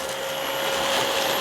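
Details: Dyson DC25 upright vacuum, curbside find, running: steady hollow hooting over motor roar from air escaping past the poorly sealed exhaust filter.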